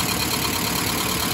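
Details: 1991 Mazda B2200 automatic after converting from electric in-tank to mechanical fuel pump: short stretch of smooth, even idle with a hissy top end and no stumble or knock; idle settled and steady.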